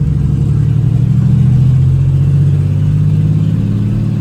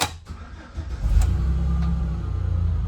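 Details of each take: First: 2008 Chevy Express cargo van, being driven: loud, deep, open and raspy exhaust drone rising and falling with throttle through the gears; catalytic converters were stolen. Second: 2008 Chevy Express van, restarted after over an hour of driving, before battery swap: short crank, engine catches cleanly and settles into a steady even idle, normal start.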